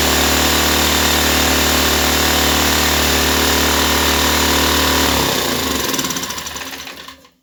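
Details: Ryobi 1200 (1.2 kVA) single-cylinder generator, 3 hours use, stored 3 years, previously only ran on full choke; after carburetor refit, air cleaner off, on choke: steady even beat, no misses, then shuts down and coasts to silence; normal running.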